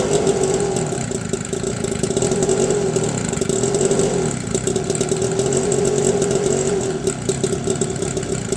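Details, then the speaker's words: 2009 Homelite two-stroke leaf blower after carburetor adjustment and new primer bulb, started second pull after two months sitting; steady even buzz at constant pitch, no misses or surging; normal running. "just replaced the primer bowl on it yesterday and it started up on the second pull after sitting for about two months so this is a good little blower"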